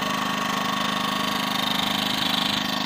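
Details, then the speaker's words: Champion 2000 W quiet-run inverter generator, new, mic standing very close, on economy mode: steady buzzing drone with even pulse, no surging, knocking or rattling; normal running. "If I turn it off of economy, bumps up a little bit. But that's standing really close to it."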